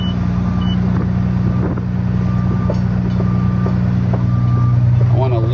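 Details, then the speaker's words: Used excavator with its worn track lifted off the ground and running: steady low engine drone with even track clatter about two hundred a minute, nothing harsh; sounds acceptable, and the earlier noise was thought to come from the gravel. "for how nasty it sounds I guess it it actually sounds okay I'm not too worried about that"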